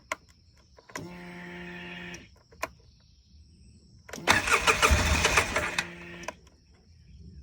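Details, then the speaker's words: 2005 Polaris Sportsman 700 EFI ATV after replacing the fuel pump, regulator and filter with a new in-tank unit and priming: a brief starter whine, then it starts and revs up strong; normal start and run. "And here we go. Okay, that was started."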